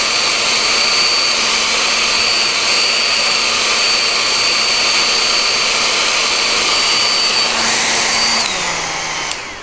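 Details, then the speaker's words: Nikola Plus electric unicycle's cooling fan gives a loud, steady airy roar with a thin high whistle, then winds down; it is a cheap, possibly variable-speed fan whose low-quality bearings are audible. "it puts out a lot of air so I can just hear it it's a it's just a its basic crappy fan it's a low quality fan like you can hear the bearings"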